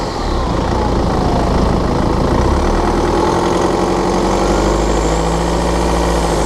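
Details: BMW F11/F10 520d 2013, N47 diesel: busy rattling tick over the low drone with a small rev change midway, when cold and under load at 1500 rpm; a faulty injector, pinpointed by ISTA test.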